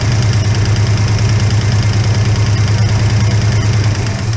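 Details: Holden HK petrol engine at steady idle, no oil yet reaching the top end on start-up: light even tick about three times a second from one noisy hydraulic lifter; noise goes away when that pushrod is held up.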